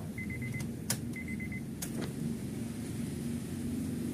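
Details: Honda FD 1.8 VTEC checked for hard starting, fuel pressure holding: key-on chimes over a brief steady low pump hum priming evenly; pressurising normally, then starts on one click.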